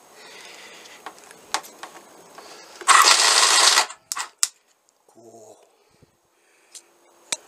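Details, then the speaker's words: 1988 Honda CBR1000F landfill bike, started with boost via solenoid: about a second of harsh metallic bag-of-nails clatter then clicks; chain rattle suspected—alternator, cam or oil pump chain. "Sounds like a bag of nails. So, could have been the chain that goes to the alternator. Could have been the cam chain, or it could have been the oil pump chain. Definitely a chain sound."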